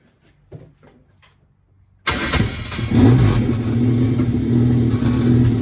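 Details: Formula engine starting after intake manifold gasket installed: catches after a quiet spell and settles into an uneven, stumbling idle with dropped pulses; misfire.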